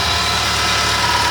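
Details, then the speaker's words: Ford Zetec Rocam engine (Fiesta/EcoSport/Ka) after replacing the timing chain kit to cure chain and tappet noise on cold start: quiet, even idle with a smooth hiss, no chain slap or tappet clatter; running perfectly. "como vocês podem ver taís funcionamento do motor é um trabalho bonito perfeitamente"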